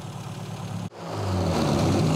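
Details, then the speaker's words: Mini A-series engine on a rat rod, twin carburetor mixture being enriched in flats during tune-up: lumpy idle, then revs cleanly and smoothly without stumbling; sounds much better, airflow changed, mixture closer to right. "it sounds a lot better when we rev it up so our airflow is very different now"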